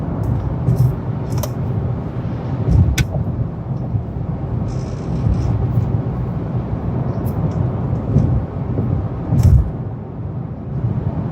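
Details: Brand-new 2018 Honda Accord Sport, interior: steady low road rumble with scattered sharp clicks and rattles at irregular moments; annoying rattle, cause unknown.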